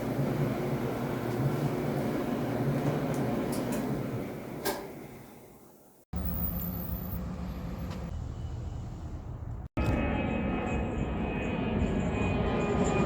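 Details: Samsung dryer after replacing worn, flat-spotted drum support rollers with shafts (DC97-16782A): drum turns with steady even low rumble, loud thumping gone; normal running, expected to quieten further as rollers settle.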